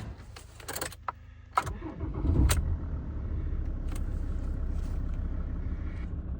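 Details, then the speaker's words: Ford Transit Mk7 3.2 TDCi diesel first start after oil, oil filter, fuel and air filter service; clicks, brief crank, quick catch, even idle, no knocking, oil light goes out; healthy start. "Yes. So, fortunately, the oil light has in fact gone out."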